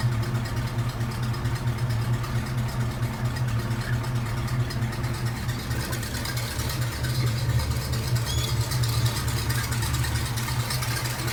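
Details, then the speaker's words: Hearse idling after 50-mile break-in oil change with fresh oil and repaired PCV hose: low, even idle hum, smooth beat, no ticks or hiss; PCV valve working, normal quiet idle. "Sounds good. Quiet. As you see, the PCV valve is doing good."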